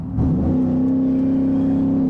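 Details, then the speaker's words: 2020 Ford F-150, 5.0 Coyote V8, about 30,000 miles, driving under light throttle: deep, steady, boomy exhaust drone at one pitch; overly loud, annoying aftermarket exhaust the reviewer would remove. "it's really annoying it's just so loud again that's just after the market"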